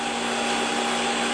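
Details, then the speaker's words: Hottop KN-8828P coffee roaster in final roast segment after first crack, fan at maximum speed, its loudest: steady airy roar, constant tones, drum audible, no knocks or rubbing; fan normal. "and for that we've taken the fan right up to its maximum speed. So this is as noisy as the Hottop gets during roasting, and you can still hear the movement of the drum quite clearly over the fan."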